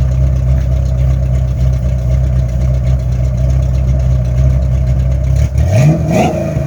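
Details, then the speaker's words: 1983 Ford Mustang (Fox body) after fitting a different carburettor, with the throttle stop adjusted: a steady even idle, then a quick clean rev that climbs and drops back without stumbling. Throttle response is healthy. "So we can hear this thing run now. This thing sounds good."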